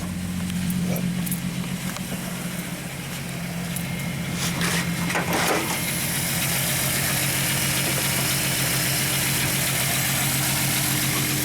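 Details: 1998 VW Eurovan, 174,000 miles, codes P0304 and P1216, warm engine: lumpy idle with a regular stumble about four times a second and visible engine shake, one cylinder misfiring.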